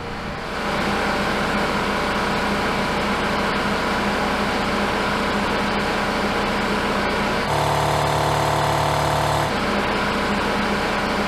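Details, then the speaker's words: About 75-year-old Worthington 3-TTC air compressor running and building pressure: steady even chugging around 220 beats a minute with low hum, no knocks, much quieter than a Husky unit; normal compressor running. "so I don't know what it's going to sound like on camera but uh I mean it's still noisy but it's not nearly as loud as my other one"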